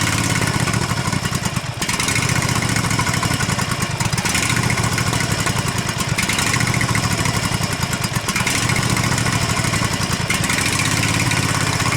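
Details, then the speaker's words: Husqvarna Z254 mower engine after an ignition coil replacement with the clearance set, still on the old spark plugs: it runs steadily with an even exhaust pulse and no misses or sputter, firing cleanly on both cylinders. Normal running after the repair. "all right it's good enough to get my job done today hopefully that'll keep going"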